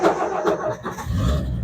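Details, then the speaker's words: 1963 Ford F-100 step side, unstarted for about a week, choke applied, out of gear: brief crank, catches within a second, settles into low steady rumble. Normal cold start; later runs a bit rough and smokes until warm. "And just like that, fires up every time. Unless it runs out of gas like it did a couple weeks ago."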